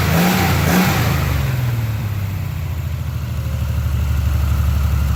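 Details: 1976 Triumph TR6 six-cylinder, first start after a long rebuild with new triple Weber carbs on a TWM intake manifold: deep, steady rumble after a couple of quick throttle blips, firing evenly and holding speed; runs, though major tuning remains.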